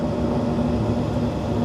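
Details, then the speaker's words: York gas package unit just after heat exchanger replacement, heat called by jumpering R to W: steady, even burner roar with no popping, rumble or flutter; burner lit cleanly and firing normally. "Gave it a call for heating by taking a jumper wire from the R to the W terminal. You can see we have got a flame now."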